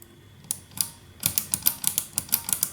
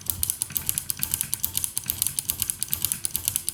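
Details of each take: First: 1974 Harman Kardon 730 Twin Powered receiver, final check after cleaning: crisp clean clicks from the selector switches (speaker A, speaker B) one after another, no crackle or scratch; contacts operating normally. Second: 1974 Harman Kardon 730 Twin Powered dual-mono receiver, after contact cleaning and closing the case: one switch still gives sharp, scratchy clicks in quick bursts over a quiet background, a dirty-contact crackle; extra spray applied while powered, doubted to fix it.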